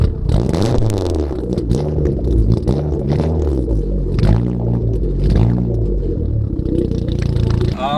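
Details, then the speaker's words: Free Mitsubishi Eclipse over 30 years old, burns excess oil and fouls plugs, first start after nearly a year sitting, new battery: catches and settles, revs rise and fall smoothly, no knock or misfire; normal start and rev. "It sounds like it's running. We're gonna call that a success. Haven't started the car in very nearly a year, and it seems like it's working perfectly fine."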